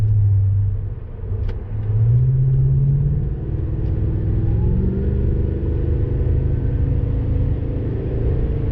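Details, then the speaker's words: Toyota Tundra TRD with BAmuffler TRD replacement exhaust, highway uphill at about 55 mph and 1,500 rpm after downshifting out of sixth gear: deep steady low cabin drone, mild exhaust resonance, not annoying; normal drone under load, gone back in sixth. "Got a little drone there going uphill about 55 miles an hour, about 1,500 RPMs. Hear it a little louder. Again, nothing annoying."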